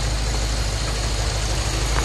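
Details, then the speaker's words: Lexus IS-F 2UR-GSE V8, first start-up after timing chain, tensioner and guide replacement: deep, even idle, timing chain area silent, injectors and high-pressure pump ticking faintly loudest, tensioner slightly noisy at low rpm; normal idle. "is so quiet I can't hear anything from the timing chain area the loudest thing I can hear are the injectors followed by the high-pressure pump here but it's barely a tip it is silent"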